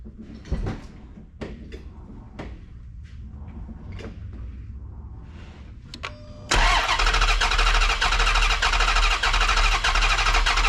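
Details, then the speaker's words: Chrysler 300C Hemi, sat for a while, cylinder six misfire: slow uneven cranking with one stroke missing its push, then a lumpy idle. Compression test shows zero compression in that cylinder. "Got zero compression. Indeed, it does."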